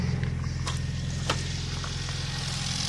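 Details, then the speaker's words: Cammed B18B1 turbo Honda EG with 1000cc injectors and 255 in-tank pump, cold start on E85, settling to a low even burble with no knocks or misses, air-fuel ratio about 14.7; normal idle. "that's the E85 cold start starts up beautifully air fiels right down the 147"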